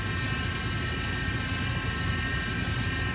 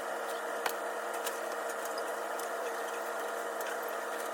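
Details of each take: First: Splendide stackable dryer running with a steady, high, even whine over the drum rumble, a noise it had never made before; broken drive motor, diagnosed and replaced. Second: Splendide stackable dryer after replacing a broken motor and refitting belt: steady, even motor hum with constant pitch and light tumbling ticks; runs smoothly, then switches off cleanly.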